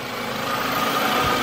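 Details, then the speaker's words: 2004 Toyota Camry after starter replacement for weak initial start: starts well, no longer sounds like it's falling on its face, then settles into a steady, even idle with constant hum, no misses or knocks; normal idle. "now start it up started pretty good it doesn't sound like it's falling in on its face when it's trying to start"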